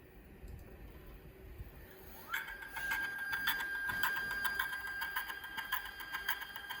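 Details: iOptron CEM120 telescope mount: motor starts with a rising whine, then hums steadily with irregular clicking ticks about twice a second; strange noise that persisted after factory maintenance.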